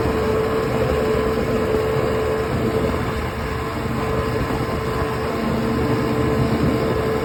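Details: OX66 outboard running with a steady drone, rough gritty grinding undertone and a thin constant tone; new spark plugs silenced it only briefly, compression excellent, prop not slipping, source unknown.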